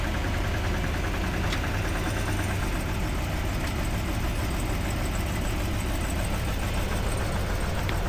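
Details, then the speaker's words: Cadillac Escalade 6.2L V8, about 45,900 miles, freezing cold, started by tow driver after engine failure: steady rough idle with occasional faint tap over low rumble; definitely knocking, lifter knock. "so he's going to start it it's definitely knocking definitely knocking"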